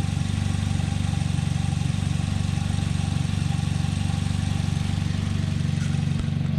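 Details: Korean-made sedan running olive oil as engine oil, warm after a drive and smelling of cooking: even idle pulse of about two and a half beats per second, no knock or tick; normal warm idle.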